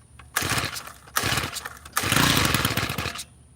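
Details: Tiller on choke during carburetor mixture-screw adjustment: three short, rough bursts that die away, the last running longer. It sputters and is just starting to catch.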